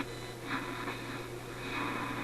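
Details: Simplex antique vacuum tube radio receiving the AM band after a power supply investigation; the Magic Eye is not glowing. Quiet steady hiss, low hum and faint fluttering station sound, with no distortion: normal AM reception.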